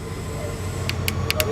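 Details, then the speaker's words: Boosted F23 Honda Accord running while a wire from the VTEC solenoid is touched to the battery: sharp irregular clicks show the solenoid works on direct power, but it gets no power from the ECU, said to be a non-VTEC P06 unit. "I don't know if you can hear it, the VTEC solenoid is clicking, but it's not getting power to the ECU."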